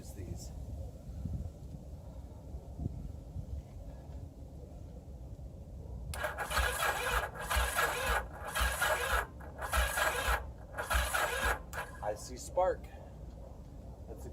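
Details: 1981 Yamaha XS850 Special, previously seized engine treated with Marvel Mystery Oil, cranked on a cold frosty morning during spark checks: short, even starter bursts with a steady rhythm and no binding or grinding. The engine now turns freely.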